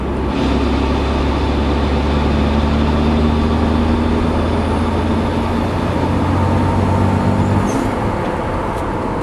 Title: Rattling noise. Toyota Supra MKIV TT